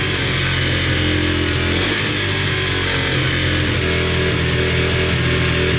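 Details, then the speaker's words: Yamaha TTR125 dirt bike after a full top- and bottom-end rebuild, ridden briefly in first gear: an even, crisp single-cylinder note revs and settles cleanly with no ticking or leaks. Idle is slightly high; healthy engine. "all right runs and sounds good no ticking sounds really good and uh drove it in first gear for a little bit and everything seems pretty good no leaking at all so that's good"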